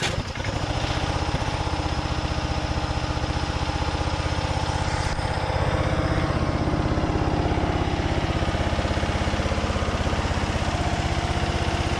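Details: Craftsman DYT4000 riding mower, Briggs & Stratton engine, after new fuel pump, valve adjustment and carb tweaks, burning off oil; steady but slightly loping uneven beat about four a second; carb likely still needs adjustment.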